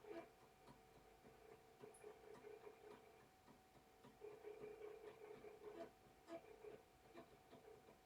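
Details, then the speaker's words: After repair, the floppy drive seeks with quiet, rapid stepping ticks in short, even bursts over a faint motor hum. It sounds much better than before, though some seek errors remain, possibly from the disk. Normal seek after repair. "Well, it really sounds much better than it did."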